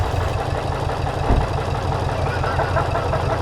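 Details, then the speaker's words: High-mileage (370k miles) Volvo V70 running on about 3.5 to 4 cylinders, with a rough, uneven idle, lumpy clatter and dropped beats; changing injectors didn't help; misfire. "It was running on 4, 3.5, 4 cylinders. Clattering away, not running well."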